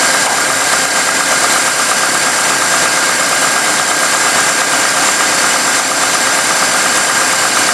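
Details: 1998 GMC Sonoma pickup idling after water pump replacement (old pump's seals leaking), coolant overfilled and being drawn down: steady even idle, faint constant whir, no knocks or squeals; healthy engine.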